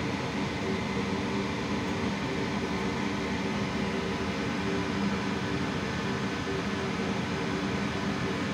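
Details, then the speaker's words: Hamworthy Modumax Wessex boiler in fault code E151 after reset: fan motor starts and runs with steady rush but no ignition attempt or light-off; fails to light, fan or PCB suspected. "so we have here the fan motor starting up but the unit [Music] is not even going to attempt to light the fan is running"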